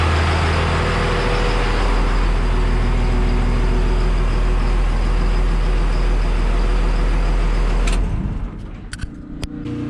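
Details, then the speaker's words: Triple-turbo 12-valve diesel race truck first start after a 13mm P7100 injection pump and drilled cam: deep, even clatter at a steady idle with no knocks or odd noises, then shuts down; healthy normal idle. "She fired up. I gotta add a little water to it. She sounds good. Nothing sounds bad, so I'm pretty happy."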